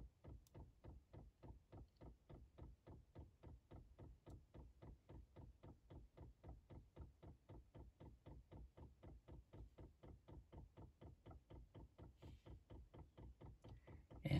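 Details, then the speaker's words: 5 kW Chinese diesel heater in a 1995 Chevy Astro camper van, first priming: quiet steady ticking at about three clicks a second from the dosing pump filling a long fuel line; normal priming that will take several cycles. "speed up i think but this is going to take a little bit to prime that that long distance of fuel line"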